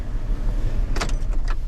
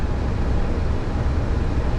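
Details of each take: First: Van on a cold day after a brief warm-up start: a steady, low, even idle rumble with no knocks or misses. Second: 2006 GMC Sierra after a cold run (title states 24 degrees Celsius): a deep, uneven rumble with no smooth beat, running rough, and the temperature gauge was fluctuating; cause unknown.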